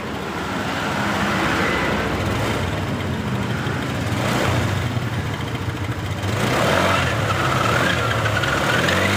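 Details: Honda Beat LED Deluxe scooter after clearing code 7 DTC (loose EOT sensor socket suspected): revs rise and fall cleanly with throttle, steady firing without sputter or misses; engine running normally.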